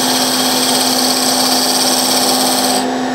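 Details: Woodturning tool cutting beads on a segmented hard maple box: even, steady hiss with a constant tone and no chatter. A clean, normal cut.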